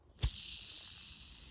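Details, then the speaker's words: Old Foredom tool bearing flicked by hand: dry, hissing whirr spinning fast then coasting down, a dry bearing before warming and lubricating it. "indicator there's a dry bearing it spins and you can hear it spins really fast and it makes noise"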